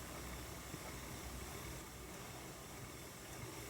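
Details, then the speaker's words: Ashford E-Spinner 3 electric spinning wheel after fix (felt washer filling the gap between bobbin and motor part): steady, even hum and hiss with no whomp or bobbin knocking. "s going to hear the sounds of the wind but you don't hear the bobbin knocking around that's pretty cool is it not"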